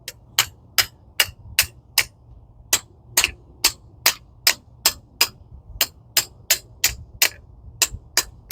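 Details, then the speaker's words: 2011 Ford Focus rear drum brake during the brake job: sharp metallic clicks, two or three a second, as the spring-loaded toothed adjuster wheel steps over its teeth, normal self-adjuster clicking. "I know that's probably loud for you guys, but it's got teeth on this wheel and it's, you know, spring loaded to keep a constant tension uh, you know, where it needs to be set."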